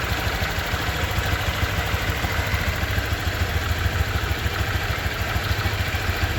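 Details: 2023 Honda Vario 125 new scooter at just over 1,000 km, idling: steady, even low putter at constant speed, no knocks or ticks; owner reckons it runs smoother than at 500 km, crediting correct break-in. Normal idle.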